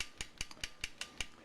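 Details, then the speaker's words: Victor Victrola suitcase phonograph spring motor, wound with a homemade crank on a base, with an added return spring on the ratchet. Crisp, even ratchet clicks about five per second, the pawl catching cleanly and the ratcheting starting right away; normal. "I added a uh little return spring on the ratchet because it wasn't coming back I think that's kind of an interesting feature to have that that ratcheting note that it starts up right away"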